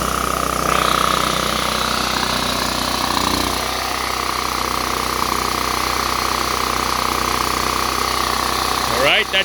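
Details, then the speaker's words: Power Mate VX generator after carburetor and fuel bowl solenoid cleaning, switch on, set to run about an hour to burn off roughly eight-year-old gas: steady, even hum with constant whine, no surging or hunting. "guys better run it probably has fuel from uh eight years ago"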